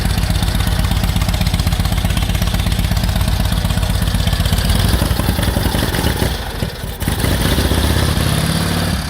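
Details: 1946 Indian Chief, original restored V-twin engine, first run after about 12 years in storage: loose, loping idle with steady low thump around four beats a second, brief dip near seven seconds; running normally.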